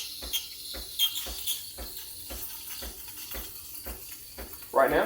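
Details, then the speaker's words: Freshly serviced, warmed-up Breville Barista Express BES870 steam wand, tip just under the milk surface. Steady high airy hiss over soft regular pump pulses while air is injected, stopped before it gets too bubbly. Normal milk texturing. "now this sound means i'm injecting air into the milk and then i'm going to stop injecting here so that it doesn't become too bubbly"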